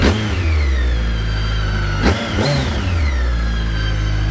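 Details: 2010 BMW K1300GT motorcycle after a cold start, brake failure warning still on until ridden: engine picks up cleanly on each throttle blip, pitch rising and falling smoothly with no knocks or misses; strong, healthy revving.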